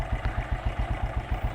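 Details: Keeway CR152 single-cylinder at idle: dry metallic grinding clatter on every firing pulse; suspected loose valve clearance, possibly rocker arm; suggested fix is setting intake valve to 0.05 mm and exhaust to 0.06–0.07 mm.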